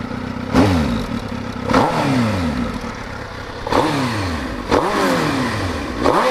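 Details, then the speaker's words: 2005 Suzuki GSX-R1000, about 17,000 miles, started with clutch pulled in, starts right up: five quick throttle blips rise sharply and drop cleanly back to steady idle with no rattle; healthy four-cylinder. "Yeah, see, you have to pull in the clutch to start it. Starts right up. So this is what it sounds like idling."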